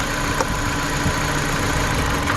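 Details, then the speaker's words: 2014 Dodge Journey 4-cylinder, check engine light on and shaking, with coils unplugged one at a time: the idle sags low and labored, almost stalling, a misfire from the disconnected coil; the fix was new spark plugs and coils. "that changed as well. Car almost shuts off."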